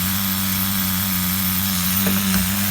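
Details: HPI RS4 Nitro RC F150 pickup on 16% nitro fuel, retuned, running about 220 degrees at idle and cooling slightly: high buzzy idle holding steady, easing slightly in pitch, smooth and even; normal idle.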